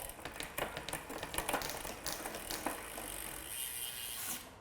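Crisp single clicks as the chain steps across the cogs, then a smooth quiet freewheel whir; shifting is cleanly indexed.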